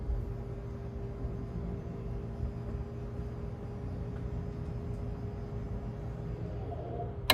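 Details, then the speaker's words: 2022 Keystone Cougar Half-Ton 23MLS travel trailer, slide-out motor M1 retracting via the outside control panel: low steady motor hum with a faint constant tone and no grinding or binding; normal slide-out retraction. "so for motor one you can do out and you can hear the slide extending and then bring it back in"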